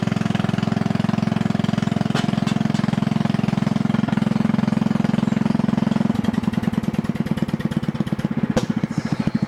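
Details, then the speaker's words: Mower with Kohler overhead-valve engine, muffler removed and running a roughly three-inch straight pipe: loud, sharp, rapid unmuffled popping that turns choppy as throttle drops; loud exhaust from missing muffler. "basically it's just straight piped and it's only about a three inch straight pipe anyway so it's gonna be a little bit loud"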